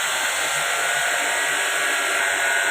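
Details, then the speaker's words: Water-cooled water chiller during a filter core change: a loud, steady hiss of residual refrigerant pressure escaping through the loosened filter housing, bled off before the cover (dish) can be removed safely. "ये इसमें जो gas बच गई है वह gas निकल रही है आप साउंड सुन रहे होंगे यह साउंड आ रहा है यह गैस निकलने का साउंड है"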